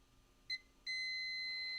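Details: Laptop motherboard repair, multimeter across a diode in reverse after removing a part: a short chirp then a steady high continuity tone holding on, so the diode still reads shorted in reverse.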